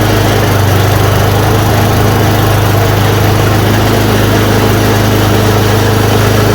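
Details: Yard Machine 826 snowblower, 8 hp 26 in, after new dual belt, first start once idle screw adjusted: steady even single-cylinder chug, revs up, no misses or surging; it runs clean.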